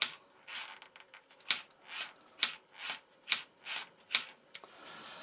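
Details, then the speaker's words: Horizon Hobby Night Radian RC plane after a crash, fuselage nose stripped: one servo gives quiet whirring bursts broken by irregular, chattering ticks about once a second; this servo caused the trouble and will be replaced. "This was the servo that caused all the trouble. This one here, that has to come out."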